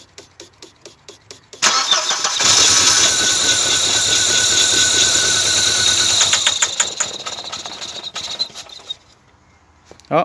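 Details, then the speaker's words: 1992 Audi 80, crank but no start, fuel lines dry; cranking ticks, engine catches and runs roughly about seven seconds then dies, starved of fuel; fuel pump gets power but does not run, bad pump. "Helt torrt. Helt snustort. Så den här bilen får ingen soppa. Då vet vi det."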